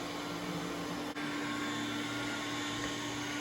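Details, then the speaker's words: iRobot Roomba S9+ after software update 3.12.8: the brush roll clicks on and engages, and suction ramps up with a steady, even motor whine and no rattles. It is now working correctly after briefly not spinning. "see now it's engaging and working correctly so that's odd and it's increasing suction like it"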